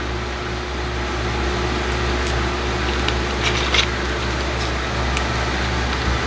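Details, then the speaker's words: Lenovo ThinkCentre M91p desktop booting Windows 10 from a slow drive with 2 GB RAM: steady airy whoosh with low hum as the cooling fan ramps up to full speed; cause unclear, fan suspected. "So there it goes again, that fan's just ramping up. I don't know if it just doesn't like the fan."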